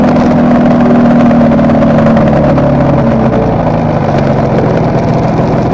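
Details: Kawasaki KR250A two-stroke twin at idle, tachometer moving oddly for the last three or so runs: slightly uneven beat, about three pulses a second, stumbling now and then; owner suspects intermittent misfire on one cylinder, not confirmed.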